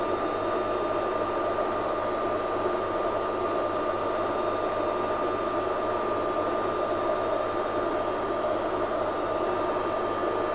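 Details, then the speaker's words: Lux Royal WH 1093i washing machine after replacing the inner drum and cracked spider with shaft: even steady whirring hum at fixed tone during spin, no rubbing, scraping or thumping; drum spins smoothly and quietly. "sputaran kencang ini pun tidak ada suara gesekan pada gasket kemudian suara hentakan dari belakang drum pastinya sudah tidak ada lagi suara yang kasar"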